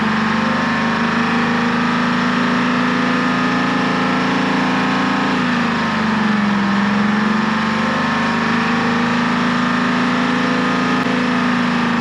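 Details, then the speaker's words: American 25 excavator with Detroit Diesel 6V53 two-stroke, first start after two years: loud high steady drone, overrevving toward a runaway; shut-off hit and it slowed, cause unknown, injector rack had been checked. "[Music] that sounded like it was starting to run away I had to hit the shut off and then when I hit it it actually seemed to slow down so I'm not sure what's going on in there but um it's running so I guess that's good"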